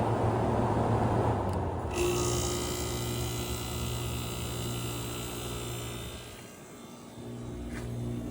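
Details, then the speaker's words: 1979 Friedrich Power Miser 5,200 BTU room air conditioner, compressor jumped out, heard near the compressor on low fan: low steady compressor hum under soft fan rush, no rattles or clunks; running normally, cooling the evaporator. "Let's go by the compressor. You can hear it better this time."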